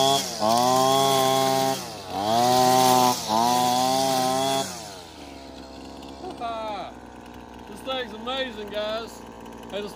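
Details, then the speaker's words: Older Husqvarna 225L straight-shaft trimmer after a new carburetor and tune-up, cutting weeds: the two-stroke revs cleanly to a high even buzz in bursts and drops back smoothly; runs healthy under load. "she's idling great feels like it's taking the gas really good so I think we got a winner here guys"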